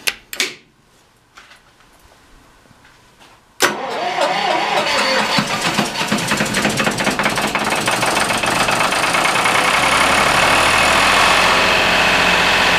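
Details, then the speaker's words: Lister HR3 diesel generator, cold start after a fresh engine oil change, smokes briefly until warm: short starter whirr, then the diesel fires and settles into a steady, even clatter at constant speed; normal cold start. "Now this thing smokes for a little bit when it first starts, till it gets warmed up a bit, but it's not too bad. So, all right, it's gonna get loud"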